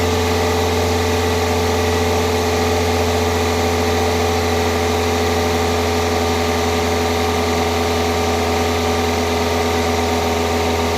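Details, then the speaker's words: 2002 Toyota Corolla four-cylinder just after new coil packs, spark plugs and cold air intake, warming up: steady low drone with slightly uneven, wavering idle that clears up after a couple of revs; rough idle, cause not confirmed. "okay it's clearing up some now that I've revved it a couple times it might have to you know get used to being on there cuz it's brand [Music] new"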